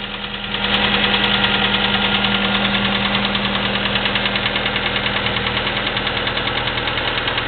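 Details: Chevy S-10 2.2L four-cylinder pickup, 154K miles, Flowmaster 40 exhaust with stock piping: a steady light valve train clicking about three times a second over a smooth idle, present for 45K miles.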